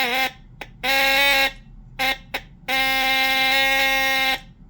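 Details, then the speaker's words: Lionel postwar Santa Fe 2383 model locomotive (probably 1958) horn after refresh and reassembly, pitch adjustment screw set, relay closed: steady buzzing blasts, short and long, even pitch, clean starts and stops; horn works. "seems to do the thing."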